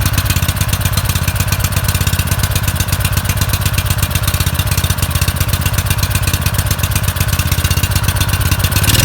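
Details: Suzuki SV2300H generator that wouldn't start, after spark plug cleaning: fast, even thumping at around four beats a second with a steady low drone; runs smoothly without misses.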